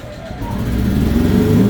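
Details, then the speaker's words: New Fujihama portable gasoline generator on first start after filling with oil and gasoline: catches and settles into a steady, even drone building smoothly with no misses or knocks; green AC light shows it running; normal running. "So, pag umilaw yung green, ibig sabihin running na yung ating generator."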